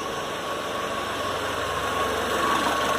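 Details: Citroën C4 hatch 2.0 after a 50k service with heat exchanger and belt kit replaced: smooth, even idle with a steady low thrum and no knocks, ticks or squeals; engine sounds healthy.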